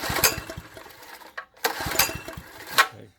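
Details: Wacker plate compactor, poorly maintained, with spark present and fuel dropped into the carb: sharp pull-cord rips, quick spin each time, no firing; no-start, carb suspected, not confirmed.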